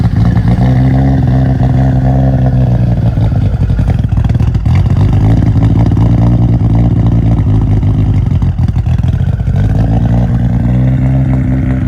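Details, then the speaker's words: Nissan R34 GTR V-spec, fully refreshed twin-turbo engine with big intake, after cold start: rev rises and falls twice, smooth even note with audible turbo whoosh and spooling, no ticking or lump; healthy. "When I revved it, you could hear the turbos fully, obviously with this big intake system they have here."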